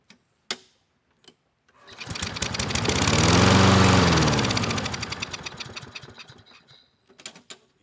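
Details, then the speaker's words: 2014 Toro Recycler 20371 mower, Kohler PH-XT675 engine, failed to start after winter storage, auto choke on, run on starting fluid: catches, runs smoothly a few seconds, then sputters and dies; fuel delivery fault, carburetor to be cleaned. "all right very nice the engine it sounds good we just have a fuel problem"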